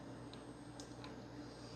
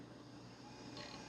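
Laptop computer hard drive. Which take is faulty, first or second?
first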